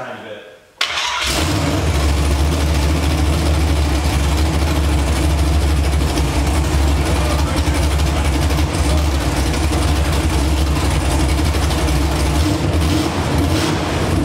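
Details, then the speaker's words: First start of an LS V8 just swapped into an Infiniti G35 on a freezing morning, oil full. The broken fuel line is only clamped temporarily and the cooling system is unfinished. It cranks and catches within a second, then settles into a steady, deep idle with no knocks or misses. "all right that's going to wrap it up for this one engine's in runs oil's full"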